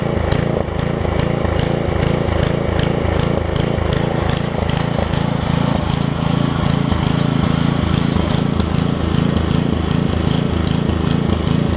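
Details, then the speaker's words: Craftsman 17-inch rear-tine tiller with 5hp horizontal Briggs engine, probably 1990s, tilling under load after a new carb diaphragm; steady, even, busy putter with no misfire or surge. It runs and tills; only a tiny fuel leak remains at the diaphragm. "all right so it runs it tills"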